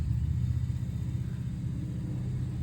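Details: 2004-2011 Nissan Murano, high mileage: steady low droning rumble under the cabin while driving; noisy wheel bearing, replaced along with ABS sensor.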